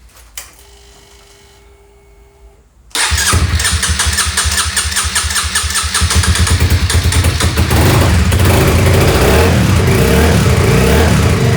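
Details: 2007 Honda CBR125R, non-running after two years outdoors, after fuel pump cleaning and refitting a missing seal: short crank, catches at once, settles into even single-cylinder idle with crisp regular beat; healthy start and idle.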